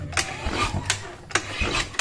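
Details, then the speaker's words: Carbureted Honda Vario scooter that won't start, cranking with uneven starter whirr, clicks and thumps, spinning too freely with no compression; low compression suspected from leaking valves or worn piston rings. "lihat ini ngempos sekali enggak ada keras-keras nya jadi 99% ini penyebabnya adalah kompresi yang bocor bisa klep yang pada bocor ataupun bisa ring Piston yah yang udah aus"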